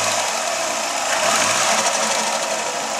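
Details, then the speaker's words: Dodge Daytona IROC after engine swap: uneven, lumpy idle with loose irregular clatter and no steady beat; ignition timing is off. "timing is definitely off but it is it sounds like you're gonna think that memory this means"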